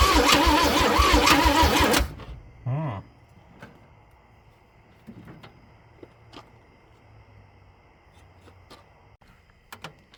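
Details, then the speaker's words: Old Chevrolet C10 being revived after sitting: the starter cranks about two seconds with no firing, then clicks. Weak spark is suspected, not confirmed. "So I don't know. I'm wondering maybe I just get a weak spark or something."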